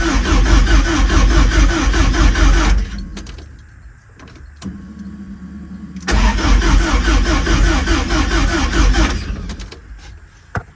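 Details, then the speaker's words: 41-year-old Porsche 944 after refitting the starter and finding a stripped wire, in neutral. Two bursts of even starter cranking at about two turns per second, never firing; cranks but no start, owner finds no fuel and no spark. "the engine turns over but we don't have no start mind you I don't have no fuel or no spark at all"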